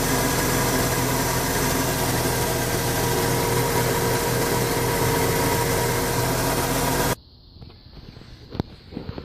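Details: 1996 Ford F-150 4.9 300 straight six after tightening the harmonic balancer that caused a belt-like squeak: even, steady idle with low rumble, no squeak or chirp before shutdown.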